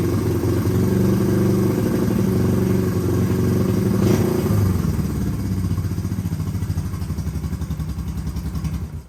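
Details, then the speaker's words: Honda CL350 Scrambler twin, about 50 years old, parked for years and not run; first run using the gas tank plumbed in without fuel filters, with good flow to the carburetors. It fires and revs cleanly, then settles to a steady even beat, about four pulses a second. Normal running. "Finally had some success with this thing. Super excited and I rode it down the road."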